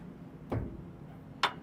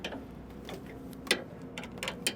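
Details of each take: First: S700 combine concave levelling, rotor spun in reverse after front hanger bolt adjusted: two faint single ticks about a second apart, element just touching the concave, front bolt set close before marking and backing off three turns. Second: S700 combine concave levelling, rotor spun in reverse while tightening the rear hanger bolt: sharp irregular ticks about once a second, rotor elements hitting a concave set too tight, so it is to be backed off.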